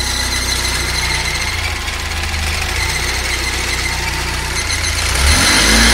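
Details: Fiat Uno EP 1996 engine at steady idle with a fast ticking, about four per second, riding over it; unexplained engine noise, cause suspected but not confirmed.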